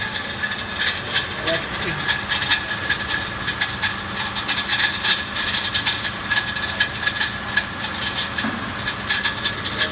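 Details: 2014 Mitsubishi Pajero Sport at idle: sharp irregular metallic ticking and scraping that starts with the engine, grows with revs and briefly disappears; one of six torque converter-to-flywheel bolts had backed out and was struck by the spinning flywheel, damaging its thread.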